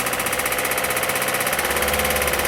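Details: 2008 VW Passat B6 1.9 TDI, about 121,000 miles, driven 1-2 miles on low oil pressure before oil pump replaced: fine at idle, steady rapid deep knock over diesel clatter rising with revs; owner suspects rod big-end or main bearing, unconfirmed.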